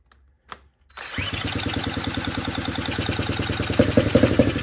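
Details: 1979 Honda Z50 single with a loosely fitted SL70-type low exhaust: fires after a brief crank and keeps a choppy, steady beat, picking up with a few throttle blips; running normally.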